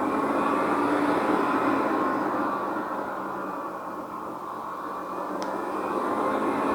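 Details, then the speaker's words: iMac G5 running Debian Linux: a loud rushing fan roar that eases off and then climbs again, repeatedly. Logs show faulty thermal detection, so the fans cycle because of a false overheat reading. "The fans ramp up and ramp down over and over and over. And if we check the logs, there seems to be an issue with the thermal detection. It keeps thinking that it's overheating, ramps up, and then it's fine again."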